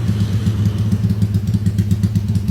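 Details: Motorcycle engine rebuilt under warranty after a 68 mm LHK piston smoked and failed, now on a 70 mm Scorpio piston: steady, even low thump at idle with no knocks or rattles. Smooth, healthy idle.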